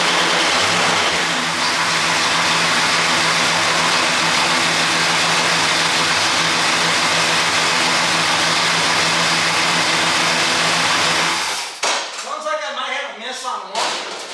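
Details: Pontiac GTO V8 just after new spark plugs, wires and boots, firing order possibly wrong and cylinder 7 boot maybe not fully on: fast idle with a slightly uneven, lumpy beat before cutting out; possible misfire on one cylinder.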